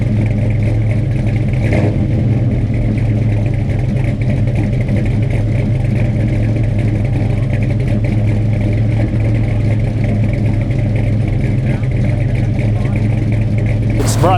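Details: Freshly installed 450 hp Blueprint crate V8 with a carburetor, first start: deep, steady rumble with an even beat and slight cam chop, firing cleanly on all eight cylinders with no misses; running normally.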